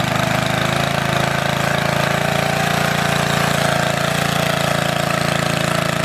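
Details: Antique Goodall-Modern edger with 3hp Briggs & Stratton engine, last run mid-1990s, started after fuel turned fully on, many recoil pulls needed; steady single-cylinder putter at even fast idle, no misses or knocks; normal running.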